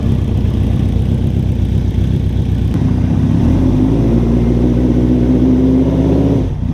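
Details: 2003 Kawasaki Z1000 four-cylinder after a valve clearance adjustment, on a little choke: steady, even idle after a light blip, no ticking or misses, smooth exhaust note; running healthy with no leaks.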